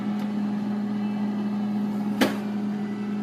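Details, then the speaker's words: A steady, buzzy electrical hum at a fixed low-mid pitch with one brief knock, from an Indurama 370-litre refrigerator when the upper freezer runs, like interference or low voltage. "causa como una leve interferencia como que le faltara voltaje [Música] y cuando se pone a funcionar el congelador arriba"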